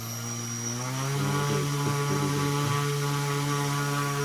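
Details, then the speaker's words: 1400kv brushless BLDC drone motor driven through ESC and servo tester from a 12 V charger: steady high electric whine at one even pitch, no rattle or stutter; spinning cleanly at full speed. "ನೋಡ್ಬೋದು, start ಮಾಡಿದ್ದೀನಿ. Full speed ಇದೆ."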